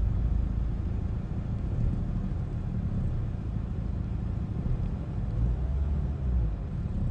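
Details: Renault Megane 1.5 dCi diesel after replacing faulty cylinder 3 injector with a used good one and clearing fault codes: low, steady idle rumble with no misses, knocks or uneven beats; healthy.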